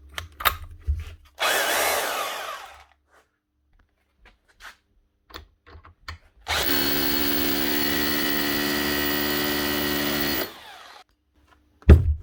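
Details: 2012 Makita HR2611F SDS drill after burnt motor, repaired with a second-hand armature from an HR2610: two clean runs with steady, even motor whine, no grinding or sparking crackle. Normal running after repair.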